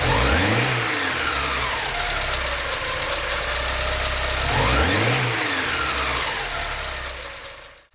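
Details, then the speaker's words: Porsche 944 after head gasket replacement, with cleaned fuel injectors reinstalled and the injector issue resolved: it catches cleanly and revs up twice, rising and falling smoothly with an even note on all cylinders and no misfire; normal running. "the injector issue resolved the engine is firing on all cylinders nice"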